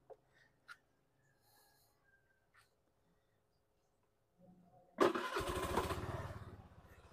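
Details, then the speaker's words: Rusi Flex scooter started right after an engine oil and gear oil change. Near silence, then it catches and settles into a smooth, even patter with no knocks, though the owner notes heavy body vibration: normal running. "So, iba talaga yung tunog pag bagong change oil yung motorsiklo compared to yung hindi ma-change oil. So, ngayon, smooth na smooth ang andar niya,"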